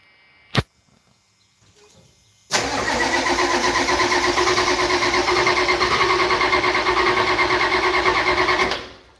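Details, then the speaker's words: Old IDI diesel, cold start after glow-plug warm-up: cranks then catches into a loud, rattly chug of about three beats a second, typical healthy IDI. "Yep. Typical IDI. See? Told you this thing chugs."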